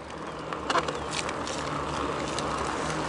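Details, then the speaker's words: BBSHD mid-drive e-bike motor: steady insect-like buzz with a few clicks when pedaling cadence lags the motor under assist, silent under throttle; cause unknown, owner wonders about gearing or controller configuration. "so when the motor's kicking in it oh God and the Cadence is just a bit slower than the the motor under torque and under throttle there's no noise whatsoever but when I let off pedaling you can hear it spin down and then when I start pedaling and if I don't go as fast as the motor wants to go you'll hear it"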